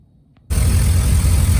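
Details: 2001 Silverado 5.3 turbo with new turbo blanket and fixed exhaust leak: engine fires up and settles into deep, steady idle with even low rumble, no ticking or exhaust puffing; normal idle.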